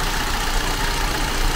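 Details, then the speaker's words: Vauxhall Tigra 1.4 petrol at idle after cleaning the throttle body, MAF and O2 sensor: the earlier chug is gone, and it holds an even, steady, smooth hum with no stumbles or hunting. "clean the throttle body clean the math clean the O2 sensor and now it's running sweet as a"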